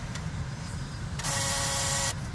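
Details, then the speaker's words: 2006 Dodge Caravan blower motor running after reconnecting its quick-disconnect wires with the key on: even, low fan hum with a brief unrelated whirring from the CD player; blower motor working normally. "That's my CD back in the background making some funky noises, so don't worry about that. That's a different issue. But this blower motor is working."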